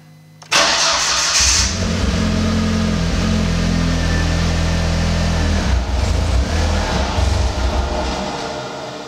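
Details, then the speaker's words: Audi (VW/Audi drive-by-wire) after throttle body alignment via VCDS basic settings, ECU flashed and MAF cleaned: starts and idles with a faint uneven low pulse; the rough running is not fixed. "that's a resounding no oh okay let's try something else"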